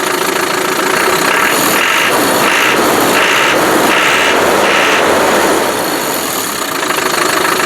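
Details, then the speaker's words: Land Rover Defender 110 300 TDI diesel from Ghana at normal idle: steady, even clatter with no irregular knocks or misses. It sounds very good, is a wee bit smoky, and has TDI snap on revving; smoke cause unknown, possibly a blocked separator. "it sounds very good. It's a wee bit smoky. TDI snap to it when you rev it up."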